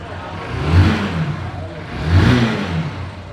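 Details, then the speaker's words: Honda Titan motorcycle after engine repair for loud noise and poor running (damaged camshaft parts replaced): two clean throttle blips rising and falling smoothly, with no rattle or clatter. The engine sounds tight. "E aí galera motor justinho e garante a l motos certo"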